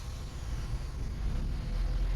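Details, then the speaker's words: Chrysler 200 with a no-start complaint: after a long, extended crank with throttle applied, it catches and runs with a deep, uneven, surging rumble; cause not yet diagnosed. "it actually started you see it was really battling really bad and it's running actually right now but a lot of times it won't um start and that was a long extended crank"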